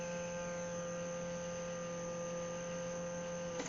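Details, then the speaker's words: AMC V8 Gremlin with a newly installed Summit/Holley blue electric fuel pump and regulator, ignition on while priming: a steady high-pitched electric whine at one even pitch for several seconds, then it cuts off. The pump runs normally, with fuel pressure slightly high. "I like electric pumps so let's give it a shot see if it works all right people let's start picking up gas there it is can you hear that"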